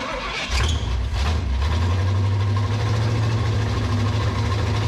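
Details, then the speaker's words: 1967 Pontiac Firebird sitting about 15 years, hand-fed fuel from squeeze bottle into carburettor: cranks, fires, runs low and uneven a few seconds then dies; owner suspects insufficient fuel or poor air-fuel mix. "well she's trying to run uh I think our air to fuel mix ratio is kind of hard to get with the squeeze bottle could be that tiny little hole I put in there"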